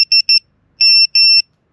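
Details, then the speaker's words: VIFLY Beacon wireless 100 dB lost-model buzzer starts rapid shrill beeping with longer tones once its position sensors detect movement, in lost-model alarm mode. "fängt diese schnelle piepen an"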